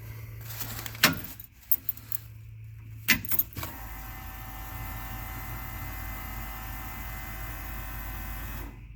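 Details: Holley Sniper EFI, fuel pump prime on a key cycle with the accelerator held down, while testing for a glitch that happens on about one start in ten: key clicks, then an even, steady hum for about five seconds that stops cleanly; normal prime this time.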